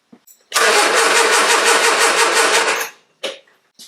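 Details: Triumph Herald 13/60 with freshly rebuilt Spitfire-spec engine, engine earth strap connected, before first start: starter spins engine evenly, about three compression beats a second, strong steady cranking, no catching or slipping. Normal cranking.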